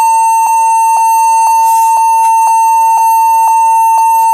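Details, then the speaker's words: HP 14s-cf2 laptop at power-on after cleaning the memory: steady high beeps about twice a second, repeating without stopping; the fix was setting BIOS to UEFI boot and using a GPT partition on the drive. "E nyala dan e masih bunyi didik-didik lagi atau tidak coba Bismillah oke ya ternyata e masih bunyi ya masih bunyi panjang begitu"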